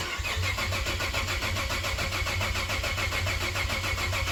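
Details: Cadillac ATS-V engine swapped into a 2013 ATS 2.0T, fuel pump priming, battery nearly dead: steady starter cranking about 3.5 turns a second, never catches. Crank no start; owner blames air in the direct-injection fuel system.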